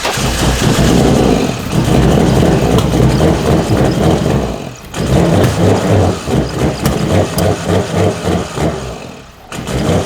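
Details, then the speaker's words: 1991 Nissan R32 Skyline GTR with RB26DETT and ITBs, first start after sitting abandoned, on fresh gas: engine catches but surges and stumbles, nearly dying, won't hold idle because many vacuum lines remain disconnected. "so engine started but not fully and it's not idling because there's a whole bunch of [ __ ] like vacuum lines and stuff not connected"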